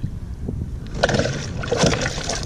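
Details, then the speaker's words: Native Titan kayak pedal drive pushed from a standstill: watery slurping and gurgling as the prop sucks air and cavitates, fading once moving. The owner suggests the drive sit deeper or a part be wider. "is cavitation drive system needs to be deeper in the water or this little thing right here needs to be wider"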